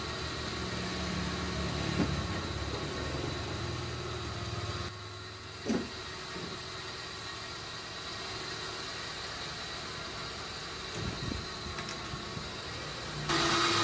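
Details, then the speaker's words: Suzuki Karimun kotak, carburetor recently disassembled, headlights on, before the carb idle screws were readjusted: fast, steady idle around 1200 rpm with a faint hum and no hunting; high idle. "Bro ini lampu masih menyala kemudian lampu masih Salin ya Bro kemudian stasioner masih besar yang k1200"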